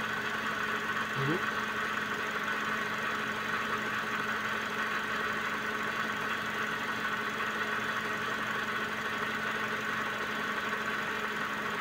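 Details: Suzuki Vitara engine idling while the wheel is turned during a power steering fluid change done because the fluid was foaming: only a faint steady hum, no groan or whine from the pump.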